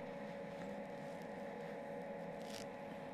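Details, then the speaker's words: MIG welder set up correctly with proper stick-out: even, steady frying 'bacon' crackle without pops or sputter, less spatter than with wrong settings; arc feeding smoothly. "so you can hear that the crying bacon sound was very clear there"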